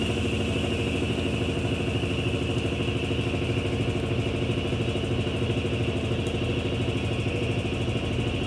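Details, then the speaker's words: 1993 Brastemp Mondial rotativa washing machine, program 30 with clothes, low water level, during spin: steady whirring drone with fast rhythmic rumble about three pulses a second; owner attributes the noise to the shaft seal (retentor), normal and expected to fade. "então a joga washington bonita a certificação ela fica indo para lá sim porque é pela centrifugação"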